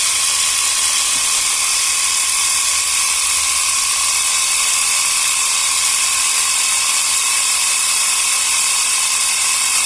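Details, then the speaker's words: Portable 12 V piston tyre pump near 3 bar (about 2.8), cylinder hot, stopped soon to avoid burning the motor; constant fast piston chatter at steady pitch as pressure builds — normal running under load. "เอาเท่านี้ก่อนดีกว่าเนาะปืบปึบเดี๋ยวมอเตอร์จะไหม้ซะก่อน"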